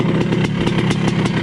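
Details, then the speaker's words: 1980 Honda CR250 Elsinore two-stroke, restored, still cold, after backing carb air screw out one turn from fully seated: crisp even popping at steady idle, no misses or surging; now idling really well. "I'll have to work a bit from there, but backed it out one turn, and it's idling really good now. Really good."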